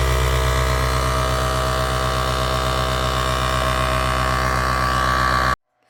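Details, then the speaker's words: Task Force 2-gallon air compressor running after brush replacement, gauge reading about 60 PSI (100 PSI red line); steady loud motor hum with an even pumping beat of about four per second, smooth until switched off; new brushes wearing in; running healthy. "so it's working which is great and uh there's a little electrical smell to it new brushes tend to do that they kind of wear themselves in"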